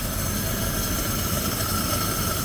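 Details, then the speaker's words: 1927 Willys Falcon Knight Model 10 sedan, inline six sleeve-valve engine: smooth, quiet, even low hum with faint whirr, no knocks or misses. Normal idle. "Look at how smooth and quiet that runs."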